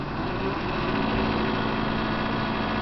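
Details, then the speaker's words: GE 48-inch stainless fridge made in 2000, coils cleaned: loud vibrating hum with a rattly buzz from the top unit, starting when the compressor kicks on with the freezer closed. It stops when the freezer opens, then a fan winds down. Intermittent; owner suspects a fan touching something. "It sounds like a motor. When I close the freezer, it kicks on. And it has a loud vibration hum."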